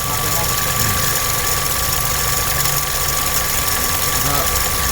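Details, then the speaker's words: Engine at idle: constant high-frequency hiss and whine over the idle that never changes; source unclear, mechanic plans to check the main pulley and belt-driven bearings by removing the belt. "Meron kasing maingay, high frequency. Hindi naman nagbabago-bago yung tunog niya."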